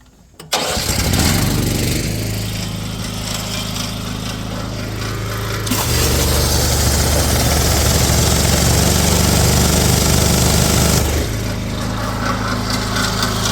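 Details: Pressure washer small engine with a surface spinner tool that would not spin and a visibly bent spinner bar. It catches quickly and runs steady, revving up midway then settling back; an even, normal run.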